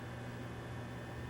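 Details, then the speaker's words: Vintage Sony Betamax SL-3000 tape deck running with 1981 Sony Trinicon HVC-2200 camera, tape loaded after persuasion: steady low hum, thin constant whine and hiss, no rhythm; the deck sounds strained and unhappy though working. "tape deck doesn't sound too happy but holy crap this thing still works and it looks like it's working"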